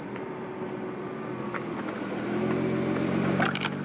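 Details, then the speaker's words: Nissan GT-R with Brembo high-performance brakes, pads 6mm left, slowing from about 30 mph after pads were cleaned and treated; thin, steady, very high-pitched squeal persists: brake squeal, attributed to high-performance pad material, fix failed. "so let's drive around we'll get up to some speed and then slow down again to see if we'll have the same squeaking that we heard in the beginning of the video"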